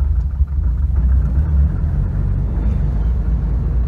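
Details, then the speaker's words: Subaru Impreza GC8 2.5RS after a failed dyno tune, driven at steady light throttle; deep uneven rumble lurching and chugging instead of pulling, smelling of raw gasoline, undrivable; the tune is to be removed. Stumbling and bogging. "hearing that wow literally undrivable listen to it well I guess we're going to remove that tune completely start from scratch"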